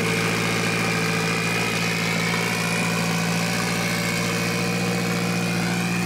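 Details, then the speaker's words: Mitsubishi Evo 8 4G63T turbo engine on the lift, at first start after a rebuild. A fast, unwavering idle with a steady high whine over a low drone. An air leak was suspected, with a hose found not hooked up. "Because it should idle normal. Oh, is that why it's idling high? Yeah."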